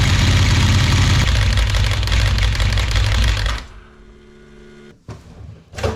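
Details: 1992 Ducati 900SS, about 30 years old, after oil cooler replacement: twin holds a steady, even, lumpy beat for a few seconds then shuts off; no odd knocks, no oil leaks, engine sounds healthy.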